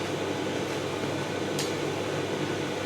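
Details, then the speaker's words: Simpson EziLoader clothes dryer 39P400M-V1 after new belt and drum bearings: steady, even whoosh turning smoothly in both directions, no squeal, rumble or knocking, heat coming out — normal quiet drum running. "gonna call it only a success and there it is all fixed running quietly pretty quietly not making funny noises in One Direction on the other and heat coming out of it so yeah another successful dryer repair"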